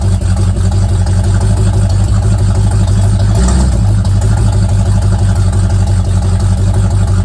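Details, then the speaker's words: Old Mustang project car, recently revived after 42 years, idling after a cold start: a deep, steady V8 rumble with one brief throttle blip midway, running evenly with no knocks or misfires. "that sounds pretty good sounds good for how cheap that was"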